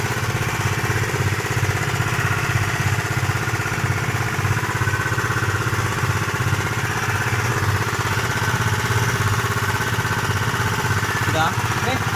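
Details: Honda PCX 150 keyless scooter idling. It had come in dead and would not start; the faulty relay (charging and starter relay) was replaced. Even, steady low putter with no misses or knocks: normal idle.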